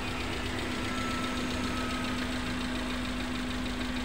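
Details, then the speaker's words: Suzuki Carry Futura pickup at idle after replacing spark plugs and cleaning oil from the combustion chamber: steady, even idle with constant low hum, no lumpy miss; combustion normal on all cylinders. "Nah ini sudah normal suaranya sudah tidak seperti tadi yang bok Oke knp sudah normal berarti pembakarannya sudah sempurna"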